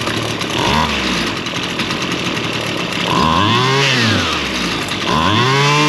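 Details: Two-stroke lawn tool run on stale fuel, started after the carburettor high and low needles were adjusted: it idles slightly unevenly, then revs up and down cleanly and runs fairly well. A possibly snug diaphragm is suspected.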